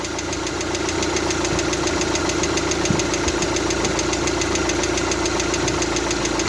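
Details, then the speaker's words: Lada Largus/Vesta after oil change, warming to full temperature, oil pressure light on and pressure dropping: steady fast light ticking about three per second at idle and revving; hydraulic lifters still clicking. "похоже также потёк не вижу компенсатор всё также щёлкает"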